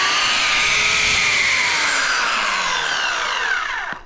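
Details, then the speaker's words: Replacement Oregon CS1500 120V electric chainsaw sent after the original's oiler pump gear stopped turning. High, steady motor whine that holds even, then falls smoothly as it coasts down; it runs fine. "and so she sent me this and so this one it does run fine"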